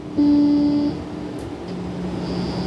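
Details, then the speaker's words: Strat with new single-coil pickups: a constant low buzz with no playing, even in a hum-cancelling position, which goes away when the strings are touched. A grounding issue is suspected and not yet confirmed. "You hear that? Hear a little buzz? Touch the strings and it goes away."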